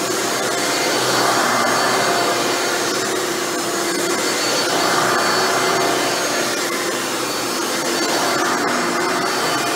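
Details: Hoover Dimension Supreme upright vacuum test run after rebuilding its Elite-style motor with new motor bearings: smooth, even motor hum with steady air rush and no grinding, rattle or squeal; normal running.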